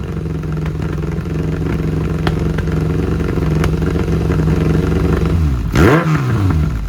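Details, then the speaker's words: 2002 Kawasaki ZRX1200R with Keihin CVK carbs, Muzzy exhaust, sat a while; sounds lean. Uneven, lumpy idle with irregular pops, then a blip and drop that is ragged, flubbing and breaking up; likely worse when hot, cause not pinned down. "it's fiddling you know F fbl flubbing I guess to be the word and it's breaking up a little bit so it's probably what he's hearing on Dell"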